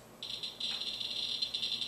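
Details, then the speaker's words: Geiger counter brought very close to Vaseline glass containing uranium oxide, an alpha and gamma producer: an abrupt dense, fast crackle of high clicks keeps pouring out. "then the guer hammer goes crazy this is because this is an alpha producer"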